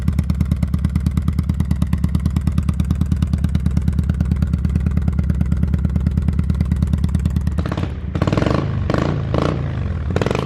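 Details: 2005 Kawasaki Vulcan 800 quick startup before sale: steady, even loping V-twin idle around three beats a second, then a few clean throttle blips dropping back smoothly; normal idle and revs.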